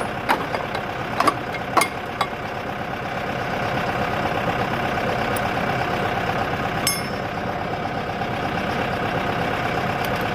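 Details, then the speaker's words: Used boat engine meant for a 1967 Mustang fastback build, a few clanks then an uneven idle with a dull knock underneath; engine knock, judged junk. "watch there it goes pretty sure she's junk boys"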